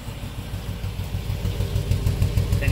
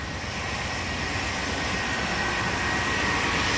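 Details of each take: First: 1997 work truck V8 at idle, no codes stored: uneven, stumbling exhaust beat and a fuel smell from a dead cylinder; the scope found the number two injector pulsing but delivering no fuel, so it needs a new injector. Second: 1997 work truck petrol V8 idling smoothly and evenly after replacing a bad number two injector that caused a lean-cylinder misfire; no stumble or skipped beats, misfire gone.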